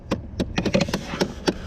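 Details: 2008 Chevrolet Impala dash clicking after key on: sharp plastic clicks about five a second from behind the glove box as the HVAC blend door actuator skips.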